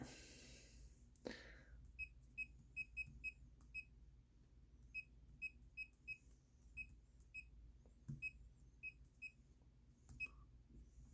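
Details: Bluetooth laser projection keyboard typing in Notepad with its projection light switched off by the function key: short, crisp high beeps, one per keystroke at an uneven pace, in a quiet room. Each press registers normally.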